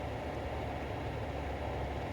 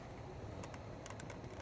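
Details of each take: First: 2006 Toyota Sienna after tightening the passenger temperature mode door actuator's three screws: steady low blower rush with no clicking, though it previously clicked continuously at 75 degrees or below. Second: 2006 Toyota Sienna: continuous sharp light clicks over a low cabin hum from the temperature mode door actuator behind the glove box, whenever the passenger dial is at 75°F or below, fan on or off; stops at 76°F or higher.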